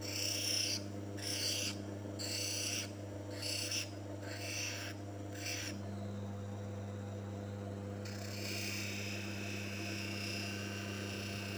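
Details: Manual lens faceting machine: steady motor hum under rasping grinding strokes about once a second, then a smoother continuous grind as a rough-cut lens is bevelled into a V on the stone; normal edging.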